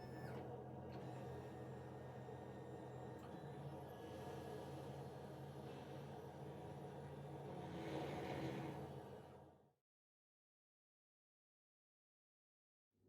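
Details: Theraposture Rotoflex rotating bed rotating into sitting position during troubleshooting; smooth, even motor hum holds steady about ten seconds, then stops cleanly, normal drive sound.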